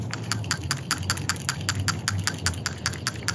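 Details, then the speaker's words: New PCV valve for a 1998-02 Toyota Corolla/Prizm 1.8L 1ZZ-FE, shaken by hand: quick, crisp ticking clicks about 2.5 per second, plunger moving freely; normal, unlike the carbon-clogged old valve. "So the new one is definitely more lively inside. You know, you can tell that there's enough crud in here to where it's taking up some of the space of the movement and the travel inside the valve."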